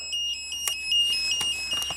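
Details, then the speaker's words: 1992 Genie boom lift: switching the controls to platform mode sets off a high shrill beeper chirping in short irregular bursts; no feed on CR4 from the platform, wiring fault through the boom suspected. "when you turn it to platform control what you can you turn it to platform control the Beeper comes on and this light goes"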